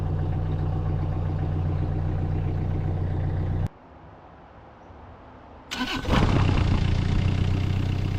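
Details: 2018 Bobcat E26 mini excavator diesel, 1869.4 hours, after battery replacement, unused about a month: idles, cuts out, then restarts into idle; owner notes rough running, suspecting fuel drain-back briefly starving it.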